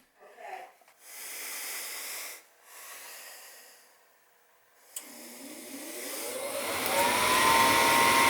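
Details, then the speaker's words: Old gas furnace, owner complained of clicking at startup (just the gas valve clicking in): soft hiss, then smooth whir climbing as blower spins up, no clicking or rattling; fan capacitor tested within tolerance of its 7.5 µF rating, loose doors can rattle, normal operation. "I checked the fan capacitor, it's fine, so that's not a problem. Sometimes the doors are loose and make a noise. I don't think you have an issue here, so."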